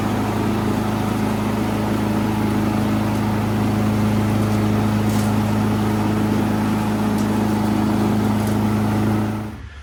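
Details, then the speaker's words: Poulan Pro PP175G42 riding mower revived after years outside and a mouse nest, with the deck fitted and blades engaged: a steady, even engine drone under load with no knocks or misses, then a clean shut-off; normal running. "What can I say, guys? She wants to live."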